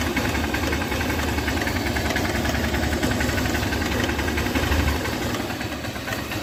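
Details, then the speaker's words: 2008 Hero Honda Hunk motorcycle, about 16 years old, cold idle: quick, uneven tick-tick-tick over the engine note; owner unsure whether piston or timing chain. "तो friends यह जो टक टक टक sound आ रहा था यह वो साउंड है मुझे यह साउंड पिस्टन का लग रहा है या फिर टाइमिंग चेन का भी हो सकता है"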